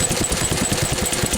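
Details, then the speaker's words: Lister stationary engine, cold and not warmed up, after tightening the spring on the carburetor adjuster: a slow, regular chuffing beat of about five per second with no misses. It is running very well. "it's now running very well, as you can hear."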